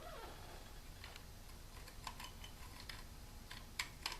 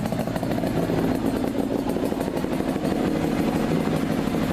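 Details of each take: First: 40-year-old clutch basket: soft, irregular clicks as a friction disc is moved up and down by hand, catching in worn notches that keep plates from separating. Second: Two-stroke motorcycle in neutral after about 5 minutes of running, following clutch basket draw-filing clean-up: steady crisp ring-ding idle with light clatter, no slipping or rattling.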